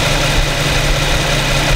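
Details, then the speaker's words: New 2015 Infiniti Q70 3.7 V6 with about 1,300 miles, warmed up, idling in drive, recorded with a Rode VideoMic Pro: a smooth, quiet, even hum with a steady low drone and no knocks or ticks; healthy idle. "got more sound here from the Infiniti 3.7 V6 engine. Pretty quiet. This is in idle, in drive."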